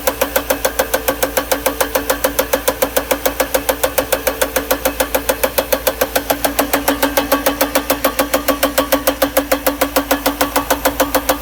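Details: 1992 Mercedes R129 500SL, M119 V8 idling with a sharp, even knock about 3.5 times a second; cause found: top left timing chain plastic guide rail in the cylinder head broken off at the bottom, after revving to clear a damp-distributor-cap misfire.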